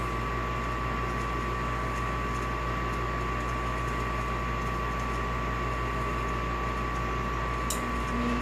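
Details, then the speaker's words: Olsen Ultramax HDS 90M furnace after replacing the induced draft fan motor that had bad bearings: as the fan limit switch (high limit about 220, fan point about 95–100) reaches temperature, the blower kicks on with even, low rush, steady hum, faint high tone, no scraping; normal operation. "And our fan kicked on."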